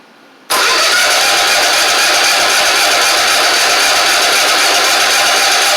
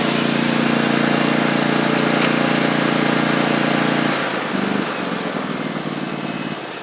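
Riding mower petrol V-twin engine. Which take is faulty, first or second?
first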